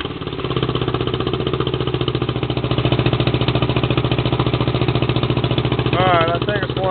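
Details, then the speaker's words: Small riding mower on a cold start, throttle opened slightly: a steady, even putter as it idles on its own, with no stumbles or misses. It sounds healthy, though the idle may need setting higher so it starts by itself. "well it's running that pretty good too yep it still sounds good I can't wait to get it finished"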